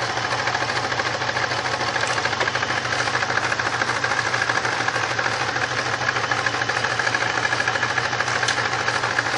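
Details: 1999 Grand Prix SC 3.8 at idle: rough, uneven pulsing about three per second under a busy mechanical clatter. Engine misfire caused by a bad ignition coil (#1-4).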